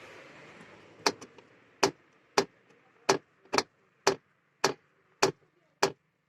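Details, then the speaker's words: Lada XRAY Cross CVT with the H4M engine: sharp, even knocks about twice a second. A suspected left-side caliper or steering rack knock turned out to be the loose side plastic trim panel knocking. "я думаю что он будет помягче так это был звук бокового пластика"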